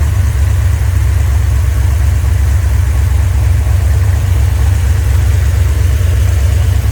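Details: Rebuilt 1990 Mopar 318 V8 from a D150 truck (Comp special-grind cam, Air Gap Magnum intake), vacuum advance on manifold vacuum, about 29° at idle, 33° total, idle vacuum low, rpm up 100; steady, even low rumble, no knocks, misses or ticks, smooth healthy idle.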